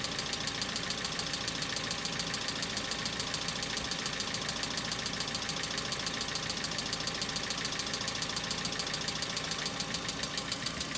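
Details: Hyundai Accent cold start, outside about -2 to -3°C: sharp, light, very regular ticking about twice a second from the top end over cold idle; hydraulic lifter knock, owner says it is now more intense and lasts longer than in summer.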